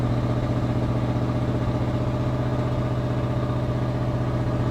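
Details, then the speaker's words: 1991 Ford F250, rebuilt 351W converted from EFI to carburetor, E4OD transmission, warming up right after first start following controller install: deep V8 idle with a slightly uneven pulse, about four beats a second; owner suspects a miss. "Sounds like we're maybe missing. We'll hold her out here, give her some gas."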